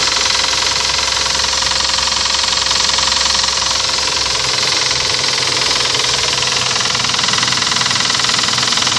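A hard, sharp clatter rattles on through the whole run over a steady engine hum, pointing to an internal knock of unknown origin.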